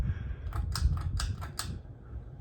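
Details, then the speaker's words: Hampton Bay Carriage House II ceiling fan, about 2014, on high speed; low steady hum with some clicking and slight vibration as it speeds up, ordinary motor hum, nothing wrong. "High gets a bit of hum a little bit of vibration going there but it's to be expected from a"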